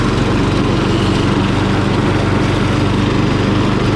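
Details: Murray lawn mower engine, just after carburetor cleaning for dirty fuel (float and needle fine), at full throttle: steady, even drone at high speed with no misses or surging; runs cleanly and smoothly.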